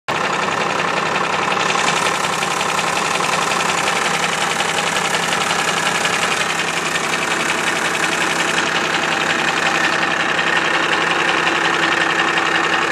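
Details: Cummins 12-valve diesel at idle: loud clatter with a regular hard knock about three per second; owner suspects the injection pump, not confirmed.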